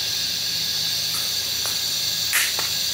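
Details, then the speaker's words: Mini excavator air system test: constant high hissing rush of escaping air; air is leaking out, and a valve is suspected stuck open. "you can hear it right leaking a whole bunch out of here and around there okay let's switch guns now"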